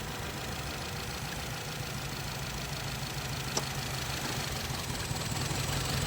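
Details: Petrol engine idling in gear, vibrating more in R or D, with an uneven lumpy low hum; codes P0304 cylinder 4 misfire and P0420 catalyst efficiency, suspected coil or sensor fault; single-cylinder misfire, rough idle.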